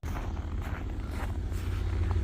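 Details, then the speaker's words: 2021 GMC Yukon Denali with a dead battery, after charging and a jump start with cables plus a jump pack: steady, even low idle rumble, running smoothly. "oh yeah Denali is running guys"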